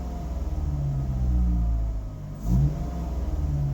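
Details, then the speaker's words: 2005 Ford Focus ST after replacing fuel pressure regulator to fix hard starts and codes P0183/P0193, check engine light off: deep even note rising and falling smoothly with throttle blips, strong intake rush, no misfire; normal revving. "crazy right there we go this thing makes it pretty gnarly like um it sucks in a lot of air feels good it's crazy"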